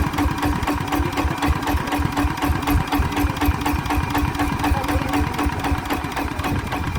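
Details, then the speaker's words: ET110 single-cylinder diesel before 120 direct-injection upgrade: set to slow idle, regular chugging about four beats a second, even without faltering; doesn't stall. "ไปวางรอบเบานะครับก็ถือว่าอ้าวไม่ดับ"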